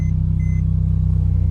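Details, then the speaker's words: Mercedes C300 at an auction yard, cold start. Loud, rapid, low-pitched chuffing at idle with no mechanical knock; exhaust leak, needs exhaust work. "that's that's an exhaust issue holy moly okay we'll turn that off so she does need some exhaust work that's loud"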